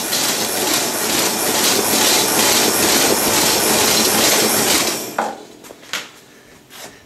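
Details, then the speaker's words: 1930s Paces Races horse-racing payout slot machine mechanism running on its motor: loud rhythmic clacking about two beats a second with a big clunk; slack hanging chain and a wheel wobbling from being brazed out of line. "There's something that's got a huge amount of slack in it. Yeah, right there. That's a pretty bad warble."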